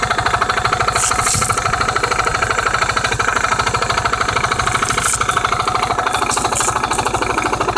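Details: Honda MF8 scooter, variator knock at idle around 14,000 rpm with steady revs: even knock about three times a second standing out above the engine beat, disappearing with a little throttle to 15–16,000; cause unknown.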